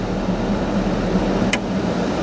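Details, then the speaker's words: 1991 Ford F-150 after replacing the blower motor and resistor control module: a steady, smooth blower rush with an even low hum and no ticking or squeal, working normally through the speeds up to high. "all right let's go up to the next speed that's working nice and smooth go up one more that's working"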